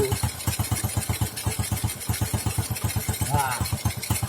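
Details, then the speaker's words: Honda Supra X 125 injection (2007–2008) being converted to carburettor: sharp popping about four times a second over idle from the exhaust, whose rusted-through lower muffler is leaking. Exhaust leak popping. "Bro ini suaranya kalau juga kayak ada nembak gue kayak gitu ya karena kenalpotnya ini yang bawahnya Bro ini bukan paginya yang bocor kenalpotnya"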